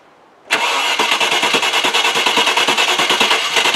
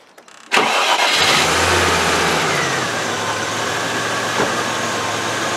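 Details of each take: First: Range Rover after fuel pump replacement, fuel pressure now correct at about 35 with relief valve working: starter churns steadily about three beats a second and never catches. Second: Range Rover after fuel pump repair, cold: cranks briefly, catches at once, settles into smooth steady idle running a bit high while cold, no misfire; injectors previously blocked now seem fine.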